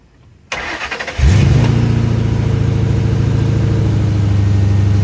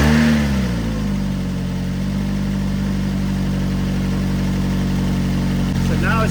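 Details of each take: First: Mustang with completely dead battery, jump-started with Hulkman Alpha Pro jump pack: cranks briefly, catches, settles into a steady low idle, then cuts off when the pack is turned off; owner thinks the alternator is dead, not confirmed. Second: Car with dead battery from sitting, jump-started with Hulkman Alpha Pro jump pack at 57%: a short crank, then it fires, revs briefly and settles into a smooth, even idle; a clean, healthy start.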